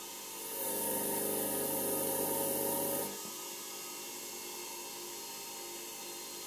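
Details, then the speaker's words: Homemade belt grinder on a TDA1085-based motor speed controller set to about 1,600 rpm, loaded to check that the controller holds speed: steady, even motor whine with rasping belt contact that eases off, speed holding well. Normal motor run under load. "нет справляется да справляется хорошо"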